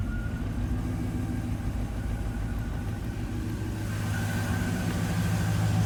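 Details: Car with newly finished Arnes LTXD exhaust (downpipes, merge with O2 sensor, reused muffler, V-band clamp): steady soft exhaust note with even low rumble swelling slightly as revs rise, no leaks or rattles; normal running.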